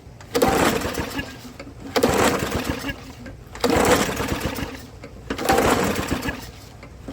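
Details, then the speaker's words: Old lawnmower that suddenly would not start, sprayed with starting fluid: repeated pull-cord cranks about every second and a half with only faint puffs and no catch; the spark plug's ground end was touching the electrode, no gap, so no spark. "Well, there's your spark plug, and I don't know if you can see that in the camera, but your end is touching the electrode."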